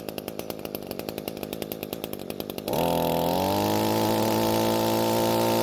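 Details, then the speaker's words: Curb-found Echo string trimmer two-stroke after carb needle adjustment: even popping idle near four per second holds without dying, then opens to steady high buzz; runs, but low-speed mixture slightly rich so the H screw has no effect. "so the engine is now idling and not dying and that means the adjustment worked however there's just a little too much fuel at low speeds"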